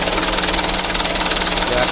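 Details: Mitsubishi Canter diesel after injection pump plunger replacement, just started: fast clatter pulsing at idle, slightly uneven beat to beat; pump plungers being shifted one by one to settle the idle. Rough idle.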